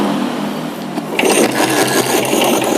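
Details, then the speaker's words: 1956 BSA BB31 single-cylinder motorcycle, started by hand, catches and settles into a quick, even, smooth patter with no knocks or misses and a calm throttle; engine sounds healthy for its age. Normal start and idle. "keren banget ya sehat banget berarti mesinnya ya oke dan coba kita bahas ya Wow anteng banget gasnya dan suaranya juga cukup halus dia menurut saya dengan buatan tahun 1956 kondisinya seperti ini ini keren banget ya"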